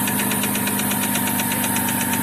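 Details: Chevrolet Epica petrol engine, oil near minimum on dipstick and valve cover slightly sweating, idles with a quick, even metallic knock about seven beats a second after a short drive; engine knock at idle.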